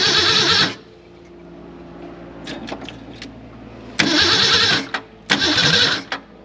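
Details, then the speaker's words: 1964 Ford Falcon four-door, 6-cylinder, 3-speed column, off the road since about 1984: engine fires and blips, then settles to a low, even idle; sounds good after long storage. "I didn't want to touch it while it was running. That sounds pretty good."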